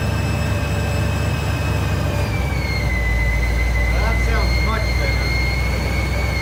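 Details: 1956 Ford F-100 with a Powerdyne belt-driven centrifugal supercharger after its failed internal cog drive belt was replaced; steady high whistle over engine rumble, climbing in pitch with revs; normal supercharger whine.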